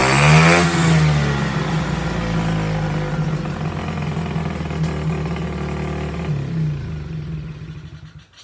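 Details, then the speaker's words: SSR Chinese pit bike with gummed carburetor that had water in fuel; revs up, then sags into uneven, lumpy beat and fades; suspected air filter too open, undersized carburetor or wrong jetting, not confirmed; poor running. "yeah it's not running great it could be that that air filter is too wide open sometimes it needs a little bit more restriction"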